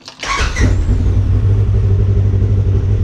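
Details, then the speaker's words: Polaris RZR cold start right after Dynojet Power Vision 3 ECU reflash, no dash lights: fires on first crank and settles straight into a steady, even idle, none of its usual sputter; normal cold start and idle. "Wow actually that's a cold start guys that sounds smooth this thing usually you know sputters a little bit when it first starts"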